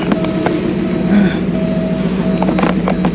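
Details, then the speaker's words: Porsche 928 idling with the clutch in and out, after input shaft bearing replacement, limited-slip diff install and 75W90 oil; alternator belt off. Steady low hum, faint whine, no gearbox growl; transaxle quiet where it was noisy before. "this is where it was making noise before clutch in watch out clutch in clutch out effectively no noise so I think we're good"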